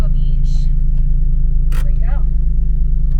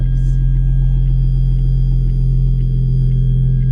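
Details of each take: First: Toyota-based 2GR-FE V6 from a blown-engine Lotus Evora idling: deep, uneven, lumpy low beat with no clean rhythm; cylinder 5 has no compression and is not firing. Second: Lotus Evora with valved exhaust (another owner's healthy engine, compared to a blown one) at idle: deep, even low rumble with steady beat and faint light ticking; smooth, healthy idle.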